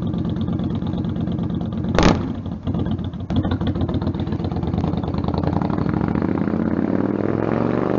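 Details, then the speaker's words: Stryker V-twin on a warm-engine road ride after new header gaskets fixed leaking headers (about 11,000 miles): deep rumble climbing smoothly with throttle, no popping or surging; power now feels linear. Normal exhaust under acceleration. "and for what I heard I'm pretty deaf already it doesn't sound like there was a lot of like like backfire on the bike"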